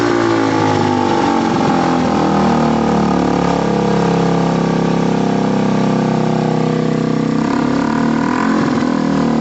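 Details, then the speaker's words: Gilera DNA 125 after passing its MOT, warm; even idle burble with a few throttle blips, exhaust a touch loud but steady, no knocks or blowing: normal running. "it's a little bit loud by the way"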